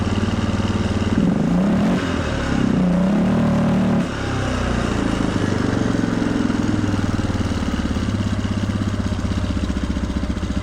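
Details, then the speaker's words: Cold 1997 Polaris Sportsman 500 single-cylinder ATV after carburetor rebuild, choke off: idle wanders and climbs by itself with no throttle input, settling fast and uneven; owner suspects an air leak or throttle issue. "so we've got no choke we're cold and we're idling we're picking up speed for no reason okay"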